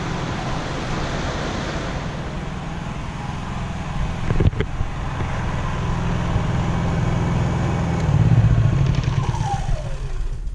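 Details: Honda EU3000is generator warm after about 10 minutes of running before an oil change: a steady, even low drone without surging or knocking once the background fan is switched off; normal running.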